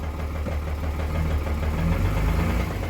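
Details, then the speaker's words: Cummins diesel truck engine with blow-by and heavy smoke, runs fairly smoothly but dislikes starting: deep, loose knock about three times a second over a rough idle. Bottom-end rod knock. "kind of what she sounds like bottom end knock it sucks it's surprising how smooth it runs but it is not happy about ever firing up"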